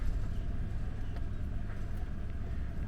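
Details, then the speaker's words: HPEVS AC50 electric car motor after bearing replacement, running in Drive at 1000 rpm: even low rumble, smooth, with no gritty bearing sound any more; normal motor run, motor characterization still to be done after encoder moved. "y ya no hace ruido ahí estamos a 1000 revoluciones por minuto y como escuchamos este está girando ahora sí suavemente ahora ya no se escucha el sonido arenoso del Valero"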